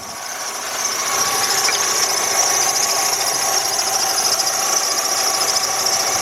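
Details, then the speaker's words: 2003 Jeep Liberty Sport at raised throttle while warming up, with the battery light on, battery voltage dropping and code P1491: a steady high-pitched whine and squeal from the alternator, louder up close; failing alternator suspected. "That thing is definitely whining."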